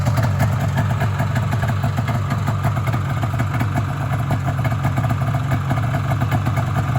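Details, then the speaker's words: Polaris Indy Sport 340 fan-cooled two-stroke snowmobile after motor swap and fuel line work: fast, even burble with steady rhythm, no stumbling; idle improved and holds smoothly, though it still bogs when driven. "you'll be able to hear it start Run's pretty good not nicer idle now"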